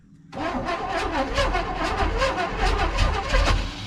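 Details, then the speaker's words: 1980–81 Chevy truck, sat about 29 years, cranked with gas poured in and no plug wires fitted. The engine spins over in uneven surges and never catches, with a harsh grinding churn from the starter, described as "bolts in a blender." Rough starter cranking. "it's trying that starter's not sounding good but it's trying starter sounds pretty rough like a handful of bolts in a blender but that's how chevy starter sounds sometimes"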